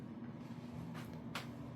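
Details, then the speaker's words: Bathroom exhaust fan running at real low power with a low, weak labored hum; after 5–10 minutes running it makes a weird noise and sounds barely working; to be cleaned of dust before replacing. "and if it sits here and runs for about 5 10 minutes starts to make kind of a weird noise and sounds like it's barely working at all"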